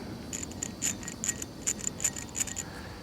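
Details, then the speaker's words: Worn tensioner pulley from a 1995 Ford Crown Victoria LX belt drive, removed and spun freely by hand, gives uneven, high, dry ticking and clicking about four a second from bad ball bearings; the idler pulley is smooth. "here's the uh tensioner pulley you can hear the ball bearings now that there's no load on it no tension on it"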